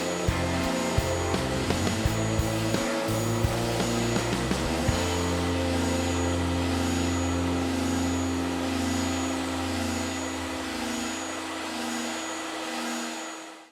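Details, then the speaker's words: New Ridgid R4840 oscillating belt sander running together with a Ridgid shop vac for dust collection: two motors humming with a slow, regular wah-wah beat, uncomfortably loud, then winding down; normal beat between motors, nothing wrong. "there is however another strange sound coming out and it's the weird oscillation of probably both motors running and the vacuum and the oscillating feature of the the the belt or the sander itself so you get this sounding from the whole apparatus running at one time uncomfortably loud"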